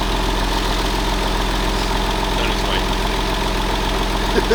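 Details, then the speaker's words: Crash-damaged 1999 Porsche 911 (996), first start in about 12 years, running on old gas with no coolant: steady, even idle with a smooth low thrum and no knocks or misses. Oil pressure is present; the engine sounds decent. "we don't have coolant so let's see sounds decent one is all right"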